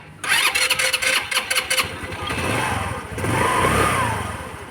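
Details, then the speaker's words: Rusi Gala 125cc scooter with carburetor needle clip moved to position two (from six): starter churns in short bursts over a second before catching, needs throttle to stay lit and dies quickly; hard starting from wrong needle clip position. "susubukan ko i-start ko para makita niyo kung gaano ka hard starting siya kasi number two na"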